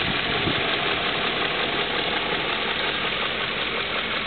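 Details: 2002 BMW M5 at steady idle with a light, fairly regular tick riding on top, roughly three a second; source of the ticking not pinned down.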